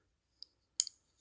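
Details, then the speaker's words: Counterfeit Rosie folding knife (154CM, full titanium, AliExpress copy) closing: faint tick then sharper double click as the second detent ball slips off the blade tang; detent ball slipping off blade tang. "And what's happening is the second detent ball is falling off of the tang of the blade as you're going to close it. So once you get to right there, it's slipping off the blade."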